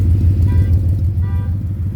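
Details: 2010 Ford Mustang GT V8 at idle: deep rapid pulsing knock in the low end, louder near oil pan and torque converter/transmission; suspected rod knock, lifter tick or loose torque converter, not confirmed.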